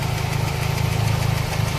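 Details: Toyota Altis 2E engine, carburetor just replaced with idle now stable: light, rapid ticking over steady idle from the cylinder head near cylinder 2; a loose rocker arm pivot was found, and valve clearance is still to be checked.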